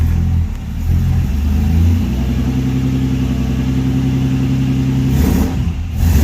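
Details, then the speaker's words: Nissan Patrol GQ with RB30 engine, just got running, cold day: settles into a steady low idle, then rises smoothly on the throttle and returns; normal cold idle and revving, runs cleanly. "Bit cold. It's a cold day. But it's running. There we go, idling away there now. Still running good."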